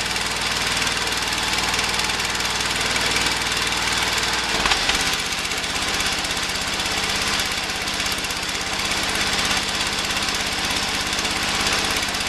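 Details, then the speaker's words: Early-1980s Ford LGT120 with rebuilt Kohler K301 12hp single (new piston): loud single-cylinder thrash at a fast, uneven beat with a brief stumble; runs too rough to cut grass, also hard starting, cause not pinned down. "I mean it doesn't run well enough to cut grass with anymore"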